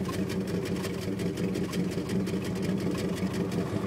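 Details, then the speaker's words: Dodge truck with a check engine light: idle lopes unevenly with irregular thumps and stumbles instead of a smooth purr, plus a sucking noise under the intake; cause unconfirmed. "You probably can't hear it on the video camcorder deal or whatever, but it don't purr, that's for sure."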